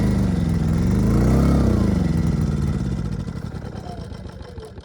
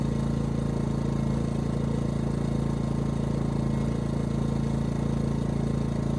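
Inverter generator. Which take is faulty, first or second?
first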